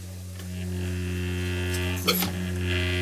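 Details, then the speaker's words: Household water pipes hum when the toilet is flushed: a steady low trombone-like drone with a faint whistle near a valve that is leaking by. Humming water pipes. "sounds like a trombone here I know I do here it's leaking by it so it's like it's like a whistle effect right"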